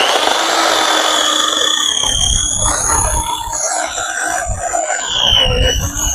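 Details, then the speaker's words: Electric corded chainsaw after sharpening the chain: high motor whine drops in pitch as the chain bites under load, with steady rough chip spray, grabbing much more than before; sharp chain cutting normally. "Well, it definitely grabs a lot more, and I would say that's a big improvement."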